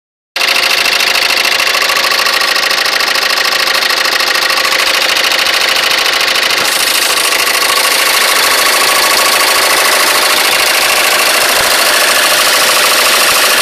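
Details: Citroën C3 engine at idle: loud running with a harsh metallic hiss and a rough, fairly regular tick about 200 a minute; engine noise, cause unclear.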